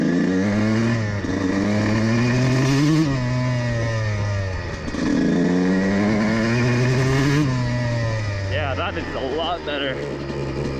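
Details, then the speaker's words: CR125 two-stroke carburettor after moving the needle position, since the previous one was too rich and sputtered at half throttle: revs climb and fall cleanly through the midrange with a crisp, even note, though it still needs to clean up slightly; normal midrange running. "semble un peu mieux, je pense qu'il a besoin être nettoyé juste un peu plus"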